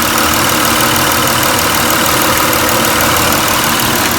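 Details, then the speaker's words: 2002 Toyota Camry V6 idling with a newly fitted oil catch can and new 3/8-inch PCV hoses replacing collapsed ones; steady even idle with constant airy wash, no sharp hiss or whistle; vacuum lines sound sealed; normal idle. "they don't really hear any hissing let me show you the difference here"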